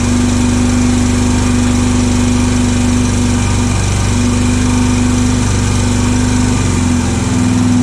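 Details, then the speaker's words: Honda 650 single-cylinder of unknown year, Dyna ignition, aftermarket coil: loud, rough metallic rattle at idle, later stopped, slight smoke; owner suspects crank or heavy piston slap, unconfirmed. "that don't sound good what the hell that's not good at all sounds like it's the crank the Piston's got a ton of slap"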